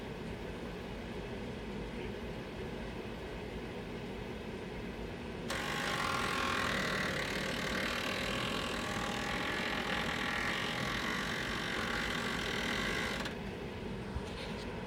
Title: GMG making loud noise